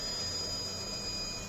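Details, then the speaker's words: Narrowboat engine bay with a Vetus M4.17 engine (about 553 hours) and Technodrive gearbox: a constant high thin whistle over a steady airy hiss, no pitch change or grinding, from the diesel heater in the corner. Normal heater fan running. "The whistling that you can hear there in the background is the diesel heater whirring away, just in the corner there."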